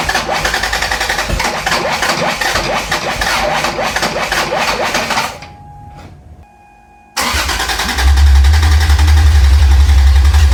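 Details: Toyota Cressida MX83, first start after engine reinstall, fuel primed, low oil pressure: starter churns at an even four beats a second but nothing catches; fuel and spark present, intake backfires, distributor suspected out of time.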